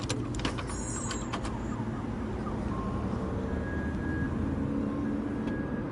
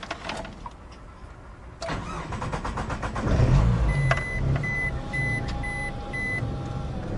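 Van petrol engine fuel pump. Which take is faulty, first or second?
second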